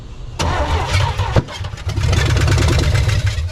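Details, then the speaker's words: 1975 Chevy Nova V8, sat 35 years, gas pedal sticky: starter churns briefly, then it catches with a rough, lumpy low rumble on a little fuel poured in and keeps running; smoke from old cylinder residue. "All right, guys, she's fired. Yes, yes, that's awesome. So happy, so happy. And that was literally just put some little bit of fuel in there."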